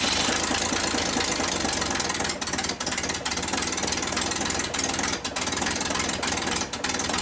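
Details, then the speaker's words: 1962 Ford Falcon, unrun for 25 years, after confirming spark at every plug and cleaning the plugs: rough, uneven running with ticking and dropouts, stalling with anything beyond slightly cracked throttle. An exhaust gasket is blowing; plugs, wires and rotor are likely needed. "no not at all it's got like no like if I try to do anything other than Lakers crack it open just a little bit"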